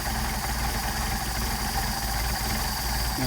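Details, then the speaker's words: Mercedes 190SL Solex carburetors rebuilt by someone else, run on a test engine: idle turns lumpy and wavering with the idle mixture screw backed fully out; the screws give too little adjustment range. "now you can hear the engine degrading the idle degrading i'll screw it out all the way so you can really hear it"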